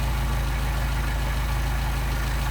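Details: Mercedes 190SL Solex carburettors on a test engine: a steady, even low idle with no misses or hunting after the idle mixture screws are backed out to the best-running setting; the mixture is set correctly.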